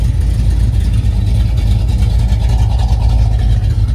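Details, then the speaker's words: Box Chevy V8 after a fuel filter was added at the fuel injector, deep rumble under throttle with an uneven, faltering beat where it nearly cuts off; stumble, fuel pump suspected, unconfirmed. "it's like it barely like I'm going to cut off a little bit like it could be yeah that sounds like a fuel pump"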